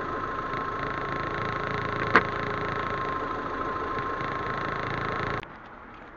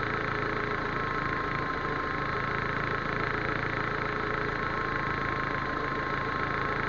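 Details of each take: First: Proton Waja MMC automatic after fitting the standard 82°C thermostat and resetting the ECU: steady, even idle with no hunting or dips; idle now stable and healthy. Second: Proton Waja MMC automatic with an idle complaint: starts well, then a steady, even idle sits a touch high with a faint constant whine while cold. TPS is reset to the 644.5 mV standard before warm-up and base timing.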